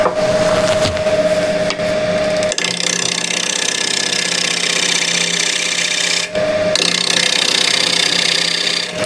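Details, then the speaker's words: Cherry bowl blank, wobbly and out of true, on the lathe. The gouge gives a rough, rhythmic knocking scrape as it catches only the high spots, turning to a steady sound once the blank is trued: intermittent cut on an out-of-round workpiece. "you hear the knocking sound and when you come to a Full Circle or clean everything that it's true you hear the sound changes"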